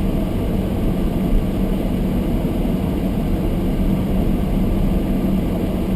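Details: Almost-new Toyota Prius hybrid in below-freezing cold, fogged windows: heater fan at full demist on windscreen, loud steady rushing air with faint low hum in a quiet car, no rattles or squeals; close camera exaggerates; normal.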